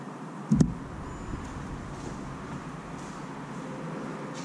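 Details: 2006 VW Golf 1.9 TDI BKC after its cam timing was corrected: a single clunk then a low, steady diesel idle with no misses, knocks or hunting; running evenly.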